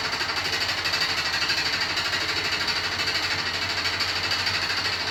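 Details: New Beko WY124PT44MW 12kg washer, 3rd–4th use, light load: fast uneven metallic clatter about three per second during spin, drum moving too easily; installer left a transport bolt in place and feet lock-nuts unset.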